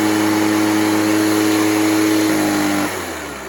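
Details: Echo PB413H two-stroke backpack blower on a new aftermarket Chinese carburetor with an NGK plug; steady, high, even howl at one pitch, dropping off as the throttle closes; healthy full throttle, close to the specified 6,400 rpm.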